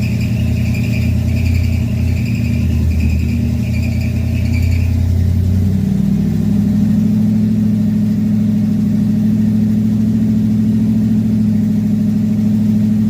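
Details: Carbureted Chevy V8 stored since 2010, first start in 15 years after new carb, fuel pump, plugs, wires, Hooker headers, custom H pipe and two Flowmaster mufflers; loud deep burble climbing in pitch when revved, strong steady note; normal idle and revving.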